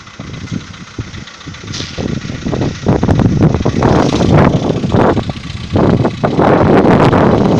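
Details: VW Polo Sedan 2015, morning cold start at idle: uneven, loose knocking clatter over the engine note, about three to four per second; piston knock only suspected, not confirmed.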